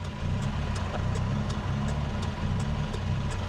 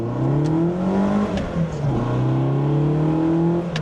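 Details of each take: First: Nissan Sunny truck with a rebuilt A15 engine (replacing the A12), automatic, performance cam. After start the idle drops from about 1500 to about 1000 rpm and then lopes with a lumpy beat about three per second: lopey idle from the cam. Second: Sunny truck with a rebuilt A15 engine, no extra throttle return spring: blips where the revs fall straight back to idle each time, with no hanging. The throttle returns normally.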